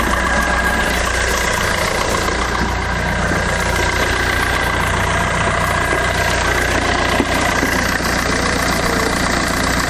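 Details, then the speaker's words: Fiat Doblo after oil sump replacement and a newly fitted exhaust, bumper still off, engine light still on. Steady, fairly quiet idle with an even low hum and no blowing or rasping; less bassy than before; normal idle. "sounds fantastic it's not as bassy oh i've still got the bumper off sounds much better"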